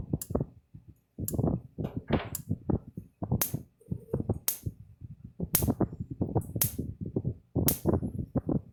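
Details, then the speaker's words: Repaired Blitzer 75 Mile EAC75M-BL fence charger powered up: sharp crisp clicks about once a second with flashing light, almost 7,000 volts on tester and a nice spark; normal output after repair. "You see a little light clicking now, flashing I mean, and you hear the unit clicking."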